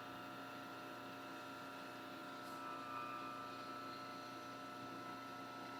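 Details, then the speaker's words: Homemade rotary phase converter idler motor, after removing an added run capacitor during fine tuning: steady, even hum with constant high tone and no surging or hunting, amperage stable; normal running. "And I don't really hear the motor making the almost like a little surgy noise like it was. So I'm going to call that good there."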